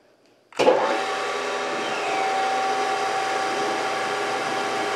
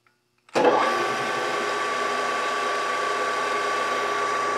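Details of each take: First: Brown & Sharpe 618 Micro Master surface grinder before topping up hydraulic oil, table running full travel: steady motor hum with a thin whine and a frothy churning of aerated hydraulic fluid from low oil. Table moves jerkily, pausing and speeding up. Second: Brown & Sharpe 618 Micro Master surface grinder after topping up the hydraulic reservoir with Mobil 1405 oil: the motor settles into a smooth, even hum with no bubbling or churning; the hydraulic pump runs quietly.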